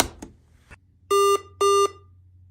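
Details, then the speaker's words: Two clean, steady mid-pitched beeps about half a second apart, each a quarter second long, while entering developer mode after Esc+Refresh+Power. This is the warning on the operating-system-verification-off screen, where pressing space re-enables it. "now you'll get a screen that it says operating system verification is off it'll beep twice again like that and you press the space bar to reenable it"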